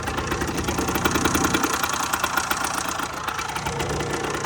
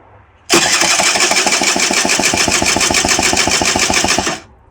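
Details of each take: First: 2008 Rieju RS50 Matrix two-stroke, 6,800 km, after top-end rebuild, carb tuning still needed, some starting issues: quick even buzz at steady idle, no knock or misfire; normal running. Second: 2008 Rieju RS50 Matrix, 6,800 km, cranks but won't fire, carburetor removed, spark present: quick even cranking pulses, no firing; compression 80 versus 150–180 expected, badly scored piston and cylinder found; low compression.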